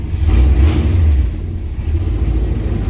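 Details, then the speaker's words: 1980 GMC C35 truck, off road since 2007: deep V8 rumble revs up and settles smoothly with no pops or misses; clean even run. "oh yeah she's ripping and ready to go now if i can get her in reverse"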